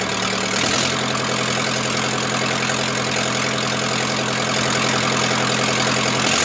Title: Zetor crystal 8011 part 2 first start after engine rebuild